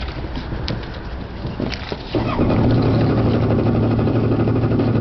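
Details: Yamaha WaveRunner that is hard to start every time on the water but won't misbehave in the shop: uneven cranking and clatter for about two seconds before it catches and settles into a steady low idle. Cause unknown.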